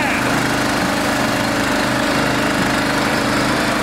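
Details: Small engine on a personal log splitter, upgraded with electric start, fires up before splitting logs and settles into a steady, even buzz with no misses or knocking; running fine.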